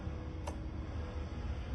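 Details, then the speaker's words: Comfort Zone 12-inch metal cradle fan: low electrical hum and a faint click, blades not spinning; motor seized after two hours of use, motor got very hot. "Now turn it on. You can hear the motor humming. Engines seized up. The motor seized up."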